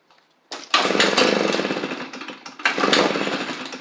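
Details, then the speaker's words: Echo PB755ST backpack blower, suspected bad carburettor diaphragm: two short pull-start bursts, engine hits once and dies when taken off choke and quits when the trigger is pulled; not wanting to power up, definitely a fuel issue. "So I'll show you that real quick. It's probably just a bad diaphragm, especially with how it's not wanting to power up."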